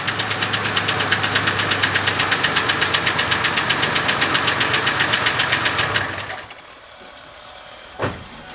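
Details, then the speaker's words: 1997-2000 Ford F150 4.2 V6 running after new spark plugs and ignition wires: uneven chuffing idle pulsing about four times a second with hissy bursts until shut off; still running rough, cause not pinned down. "off okay this video is part of us diagnosing a running rough when this car and this video is showing how to replace"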